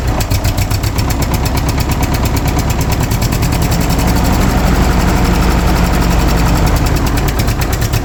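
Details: Engine on cold start with the choke held: a slow, uneven putt-putt of about three chuffs a second with a sharp puffing edge. Small exhaust leak, and the idle is set a little low.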